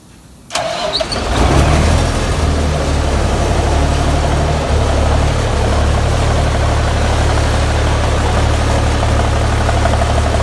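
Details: 1984 Peterbilt 359 with a Cummins 855 CPL 838 high-compression engine, just back from an in-frame overhaul after scoring cylinders two and four. It cranks and fires within a second, then settles into a steady, even low diesel idle with no knocks or misses; healthy.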